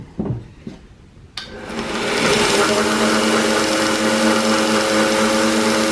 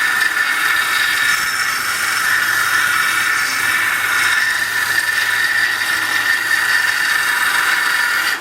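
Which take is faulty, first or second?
first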